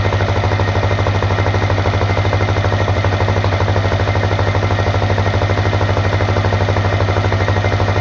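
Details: Honda CRF250L single-cylinder at idle: steady, evenly spaced knock about three times a second over the low thump; engine knock, cause not pinned down.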